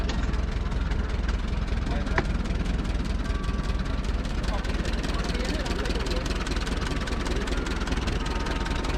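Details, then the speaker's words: International truck, about 1919, pulled from over 80 years of barn storage, mechanicals rebuilt, running on display outdoors: steady, even low rumble with no knocks or misses under crowd noise; idles smoothly. "finally here in Franklin we have this International believe it's somewhere around in 1919 in uh cosmetically asound condition you can hear it running as it's on display"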